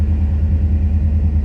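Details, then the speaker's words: Restored 1990 Chevrolet V1500 Suburban Silverado 4x4, 350 TBI V8 with 700R4 transmission, started cold: starts right up and idles perfectly with a deep, steady, even rumble, no knocks or misses; normal cold idle. "as you can see it starts right up no she's whatsoever pressure as you can see it is cold Idols perfectly"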